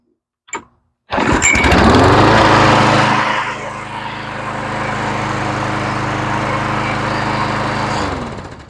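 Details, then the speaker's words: Troy-Bilt mower with Quantum engine, run outside after carburetor rebuild and straightening a hanging-up choke lever: a pull, a catch, then a steady, even drone, smoother with no rumble; normal running. "And you can hear how much smoother she sounds, and she doesn't have that rumble. That was nothing more than a choke lever."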